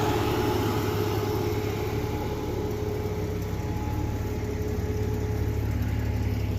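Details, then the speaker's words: 1989 Jeep Comanche Eliminator 4.0L, AW4, hotwired and idling in neutral: a steady, even idle with a constant airy whoosh of the electric cooling fan, which is the only thing keeping it from overheating instantly. "You can hear the fan running. That's the only way it won't overheat instantly. But the electric fan is not the keystone of a cooling system. It's the last line of defense."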